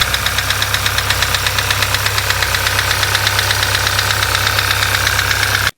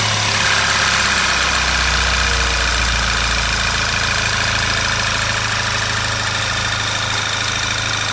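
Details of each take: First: Sixth-generation VW Golf GTI 2.0 TSI direct-injection petrol (CCZ) at idle; sharp regular metallic knock a few per second; endoscope found a foreign object in one cylinder striking piston and head. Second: Sixth-generation VW Golf GTI 2.0 TSI petrol (CCZ) after repair of knock from foreign object in cylinder, stock intake restored; steady even idle, smooth hum, no knocks or ticks, runs like clockwork.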